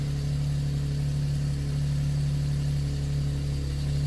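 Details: Nissan 370Z after fuel pump repair and new SRS module: smooth, even low idle hum with no misses, knocks or ticks; engine idling normally after the fuel pump fix.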